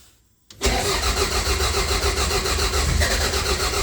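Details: Toyota Celica GT-Four ST185 rally car with freshly built 5SGTE Beams engine, first start after final assembly: quiet, then it catches at once and settles into a strong, even run with no knocks. Oil pressure is very healthy and it sounds healthy.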